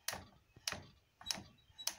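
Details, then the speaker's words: Superba sewing machine racking mechanism after freeing and lubricating: crisp separate clicks about every 0.6 seconds through eight positions, no shrieking; now moves freely and normally. "Now I can hear the individual positions, not just a shrieking like the opening of a coffin lid. That's 1, 2, 3, 4, 5, 6, 7, 8. And that's all there should be."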